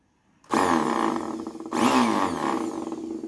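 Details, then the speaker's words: Bissell CleanView Swivel Pet upright vacuum, cleaned up: motor starts with a harsh rough grinding roar like a chainsaw; brush roll is worn out and needs replacing. "unfortunately all that work pretty much went to waste because the brush roller on this is completely shot and it sounds like a chainsaw"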